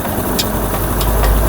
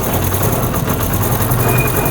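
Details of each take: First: Honda CD70 motorcycle after a gearbox repair for first-gear clatter and third-gear grinding caused by broken gears: in gear under clutch and brake load there is an even, steady engine drone with no knocking, grinding or whine, so the gearbox operates normally. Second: Honda CD70 motorcycle running in third gear at light throttle: rough, rubbing grind under the steady engine note; gear grinding in third (first gear clatters, second and fourth quiet), engine to be opened and broken gears replaced.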